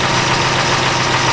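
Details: Chrysler Town & Country 4.0 with a rich-running, hard-start complaint and evap codes, idling while warming up after the temp sensor was fixed, fuel trims near zero: smooth, even idle with a steady low drone and no ticks, knocks or stumbles. Normal idle.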